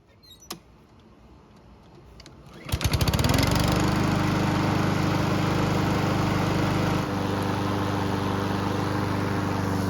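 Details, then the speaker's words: Honda lawn mower after repairing a hole and fitting a gasket, oil full: pull start catches within a second, then steady even beat, no misfire or knock; runs normally. "So, it's been running for several minutes, and the engine should be good and hot."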